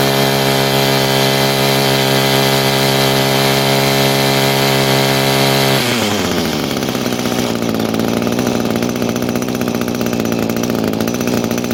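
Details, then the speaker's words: 22-year-old Echo two-stroke trimmer, leaking carburetor with swapped-in worn, non-matching metering diaphragm: holds high buzzing rev then sags to uneven lumpy idle; hesitation persists, new carb on order. "it's still got a bit of hesitation. That diaphragm I put in there was pretty bad as well. Plus it wasn't exactly the right one, but it fit."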